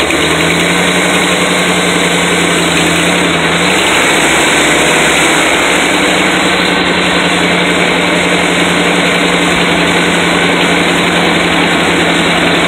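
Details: Engine idling and revving with harsh, raspy puffing over the note, sharper on revs; exhaust leak. Engine warming with good oil pressure but not charging (owner suspects something unhooked).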